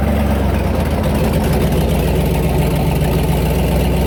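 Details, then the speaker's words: Turbo LS V8 Ranger, exhaust leak developed during 2-step testing: loud idle with sharp, fast metallic ticking on the lope, sounding like loud lifter tick; the exhaust leak, engine went lean when stopped. "when I stopped it went lean and it sounded like you know exhaust leak sounds like a lifter chick it sounded like really loud metal lifter ticking"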